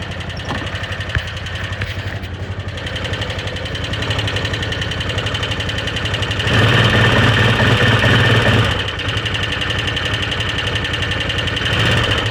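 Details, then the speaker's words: 2013 Arctic Cat Wildcat 1000 H.O. idling in neutral: quick light tick about four a second keeping time with the engine, seeming to come from the rear top cylinder; owner doesn't think it is the clutch. "Hi guys, my 2013 Wildcat 1000 IOPUT Limited. Not as clutch, you can hear the tick. Not as loud over here. Sounds like it's coming from the back top cylinder."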